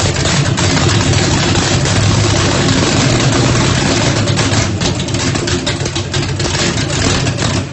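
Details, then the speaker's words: Ford Mustang, 1800 hp turbocharged small-block Chevy on methanol, first start after rebuild, brake-clean shot to prime: loud choppy V8 idle with uneven lope about three times a second from Lil John cam, otherwise steady; sounds healthy, normal idle with heavy cam lope. "it sounds pretty healthy I couldn't hardly breathe but it cranked up and it runs so I am super excited"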